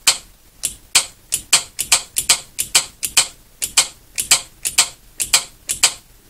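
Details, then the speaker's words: Outboard marine starter/choke solenoid bench-tested with battery power and ground connected: sharp, crisp clicks when the activation post is energized, showing the solenoid is good. "So now if the solenoid is good, it'll make a clicking sound when I hit this."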